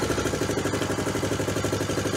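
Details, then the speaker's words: Honda Trail 90 (CT), about 50 years old and all original, idle screw turned up a quarter to half turn after carb tuning, 72°F: steady even putter about ten pulses a second, no stuttering, hesitation or stalling; clean idle. "no that's how it's supposed to run from Idle No stuttering no hesitation no stalling if you set the idle right"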